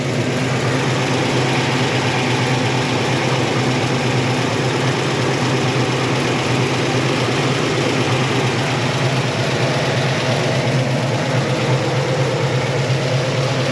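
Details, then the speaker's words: 1972 Chevy Malibu Chevelle SS tribute, 350 V8 with mild cam, tune-up fixed slightly off idle, electric choke: deep steady idle burble, even rumble, no knocks or misses; normal idle. "got a mild cam in it [Music] sounds really really good [Music]"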